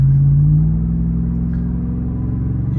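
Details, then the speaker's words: Lexus GX470 V8 with long-tube headers and Magnaflow muffler, after resonator added to cure drone at 70 mph (2000–2200 RPM); in-cabin, smooth rumble easing off as revs settle, no booming drone; normal cruise, no exhaust drone. "When you get on the gas, it is still a little bit throaty and sounds like it is a V8. But yeah, this is so much nicer."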